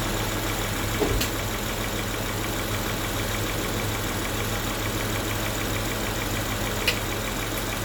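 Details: Towed-in car that had water-contaminated fuel, first startup on normal fuel supply with fresh fuel, acetone and fuel treatment cleaner added: smooth even idle with a couple of small clicks, no misfire or knock.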